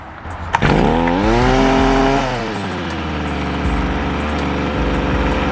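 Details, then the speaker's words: Small two-stroke (Stihl BG55 leaf blower, FS 55 or Shindaiwa T242) cold start after priming the bulb and setting the choke: fires, revs high briefly, then settles to a steady buzzing choke idle with no misfire; normal cold start. "now you want to put it in your choke position"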